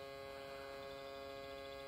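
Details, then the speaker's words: Isuzu Trooper/Holden Jackaroo 4JX1 engine, UBS73 chassis, after fitting aftermarket alternator: blue relay buzzes with steady transformer-like hum only at key-on before starting, stops once running. "it only does it when you turn the key on just before you start but once the vehicle is running it doesn't buzz sounds like a mains transformer station or a major power generator"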